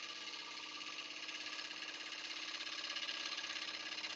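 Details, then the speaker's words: Wood lathe cutting the outside edge of a blank not yet round: steady high cutting hiss broken by quick regular taps, about three a second, as the tool cuts air across a gap, a "det" noise; interrupted cut on out-of-round blank. "We call that cutting air. And then it picks up again. So, it makes that kind of, like I said, that det sort of noise."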